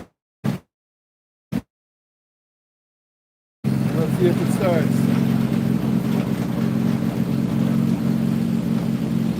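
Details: Briggs & Stratton 420 engine on an old mower frame, after cleaning a badly varnished carburetor: a couple of short bursts, then a steady, even run with no stumbling, smoking less than before; running fine.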